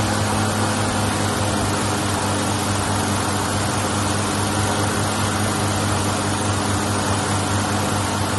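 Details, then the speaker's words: 1983 Ford Ranger 4x4, first run in about two years with new battery, carburetor primed twice: steady even running at constant speed, low smooth hum, no knocks or misses, ran until shut off; normal idle. "I just primed the carburetor you saw the first time that's second time it was running it ran till I cut it off"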